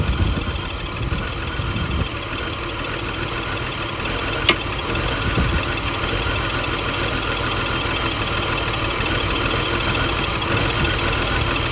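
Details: 2002 BMW X5 3.0L AWD after new battery and spark plugs: uneven idle with irregular stumble about once a second over a steady hum; misfire persists, cause not confirmed.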